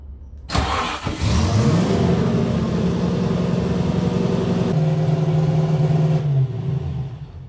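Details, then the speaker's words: TVR Chimaera V8 first start-up after chassis restoration, following a fuel leak: catches and settles into a high, steady fast idle around 3,500 rpm instead of dropping back; high idle. "That's a high idle. What was it idling at, like 2.5k? oh no, it was wild. It was like 3.5."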